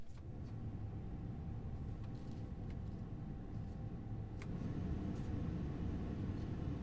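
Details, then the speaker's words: 2002 Chevy Express 3500 van after replacing blower motor and resistor, engine off, testing from low speed up: even air rush with no squeal, rattle or ticking, stepping up through all four speeds; normal blower motor operation. "So it looks like all 4 speeds work, and it sounds like they're working good."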